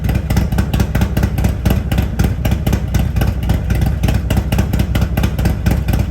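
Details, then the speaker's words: Harley-Davidson Road Glide at Stage 2 with an S&S 475C cam chest, professionally tuned to 114 hp, with TAB Performance exhaust: a deep uneven loping idle at about two pulses a second with a sharp bark on blips; healthy. "The difference is significant. The lope that the motor puts out now is just a great"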